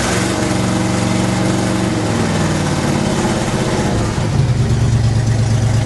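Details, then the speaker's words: 1975 International Harvester 3/4-ton 4x4 pickup, 4-speed, 142,000 miles, cold start: loud, deep, coarse idle with a rough chuffing edge drowning out speech; exhaust leak. "When I start this up, you're not going to be able to hear me talk because of the exhaust leak."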